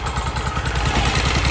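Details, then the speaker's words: 2024 Polaris Sportsman 1000 idling in deep water with the plug submerged: idle drops from about 1300 to 1200 rpm with an uneven, stumbling beat as one cylinder misses badly; misfire from spark plug wire arcing. "You can hear it missing very badly."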